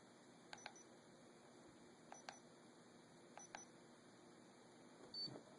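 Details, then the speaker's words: Mel-8704R-REM-EMT-SDD meter with temperature off, shadow detection on and sensitivity raised to 5, tried in a bright sunlit room where it failed to detect a hand. Three quick paired chirps about every 1.5 s; shadow detection tones. "I'm going to turn on the shadow detection. I'm going to increase the sensitivity, 3, 4, 5."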